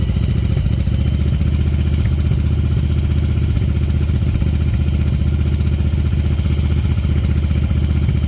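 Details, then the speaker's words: 1994 Yamaha Virago 750 chopper, warming up, idling at about 2000 rpm and climbing: a fast, lumpy, uneven sputtering beat with occasional pops; the high idle's cause is not yet found. "getting a little more warmed up you can hear that popping that's part of the problem"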